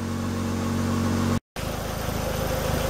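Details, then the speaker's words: 1995 Ford Escort Wagon idling in the garage after cooling-system work, warming until the thermostat opens: a steady, loud, raspy idle with an even low beat. The car needs an exhaust; no leaks seen; loud exhaust. "I did tell you the car does need exhaust it probably sounds worse on camera than it really is but yeah it's a little loud"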